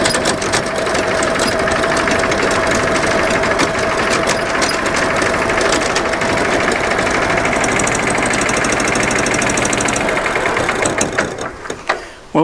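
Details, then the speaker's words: Dennis Premier diesel mower after gearbox rebuild with the original output gear refitted, drive engaged at very light load on level ground: even diesel clatter with no howl; owner unsure whether it returns after use or on slopes. "first signs are very promising that very loud howl has gone away now i don't know if it's going to come back after a few minutes of use"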